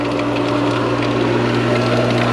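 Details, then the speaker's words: Pool pump running after priming, following filter cleaning and pool heater removal; steady even motor hum with constant low drone and water rush, no gurgle, cavitation or rattle; flowing and pumping better, normal. "I will get it done now that I got everything flowing and pumping right and better and everything."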